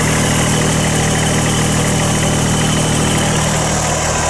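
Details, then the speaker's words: 2014 Kubota BX2670 with a 26hp 3-cylinder diesel, idling, recorded inside the heated cab: a steady, even low idle with a smooth three-cylinder beat and some cab rattle, a bit noisy in the cab but healthy. "So 26 horsepower, 3-cylinder Kubota. I will say it's a bit noisy in the cab."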